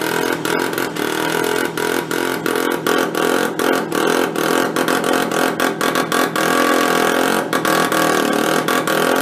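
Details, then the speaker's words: Benelli Andretti Z50 two-stroke scooter with about 500 miles, long stored non-running, with exhaust flange leak and air cleaner partly off: buzzy note stutters and drops out, won't take throttle; rough running, engine loaded up with oil. "definitely loaded up with oil huh sometimes you need the rest of the air cleaner on it"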